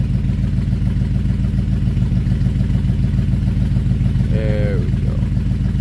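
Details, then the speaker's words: Buick 350 V8 idling after an oil pump change and lifter work: a regular puffing tick about three per second that follows engine speed, plus a brief squeak. Owner suspects a new exhaust leak and ongoing oil pump trouble. "I think that pump's giving me more trouble, but it's running. You guys can hear it. So, All right, shut her back down. I think we formed another exhaust leak."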